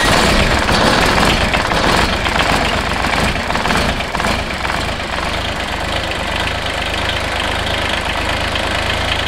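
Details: Kubota BX diesel tractor after shutting down, fuel stabilizer added and fuel filter off to check fuel flow to the injector pump: fires up and clatters into a steady, even idle of about two beats a second; runs healthy.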